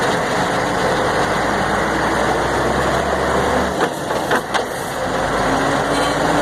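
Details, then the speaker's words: Mercedes-Benz 1634 diesel truck, noise only in gear when lifting off the accelerator; gearbox, differential and engine previously overhauled: steady drone with uneven knocks and rumble on deceleration, seemingly at the differential. "agora não dá para saber se é no C ou se é no diferencial para cá agora parece que é aqui ó parece que é no diferencial ó"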